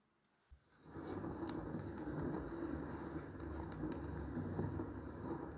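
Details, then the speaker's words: Bicycle hub after overhaul with 28-year-old axle refitted, mic held on the frame while wheel spins: quiet, even rolling hum with no grinding or rough rumble; rolling much improved, frame vibration down about 70%, hub bearing turns smoothly. "처음 하고도 완전히 다릅니다 박해 구름 성도 달라졌고 요 프레임이 오늘 진동도 많이 줄었어요"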